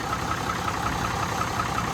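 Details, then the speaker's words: 1965 Mack B61 turbo Thermodyne diesel, restarted after fixing a fuel line that had drained fuel from the filter: steady idle with an even, light tick, no stumbling or hunting, smoothed out with no leak; normal idle. "sounds like it's smoothed out already though and I don't see a leak so call that a success great success"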